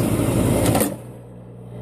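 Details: Two-stage snowblower converted from an 8 hp gas engine to a 3.7 hp 240 V hot-tub pump motor: loud churning start settling into a smooth, even electric hum with no knocks or grinding.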